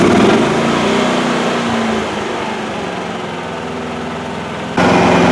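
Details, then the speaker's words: Duromax 9000-watt dual-fuel generator running on gasoline at zero kilowatts load: steady even drone, no surging or hunting; normal no-load running. "you can see my load meter fine i hope you can uh i can read it here a little bit on my screen but it says power zero kilowatts that means there's no load"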